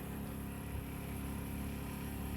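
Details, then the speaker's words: 1963 Mack, first start in years after sitting four years with a suspected bad-gas no-start; battery switch and ignition on, fuel line disconnected at pump; electric fuel pump kicks on with steady low hum, even buzz, no crackle. Normal fuel pump operation. "And now I'm just going to turn on the battery switch, make sure nothing catches on fire, starts melting. Now the ignition. Fuel pump kicks on."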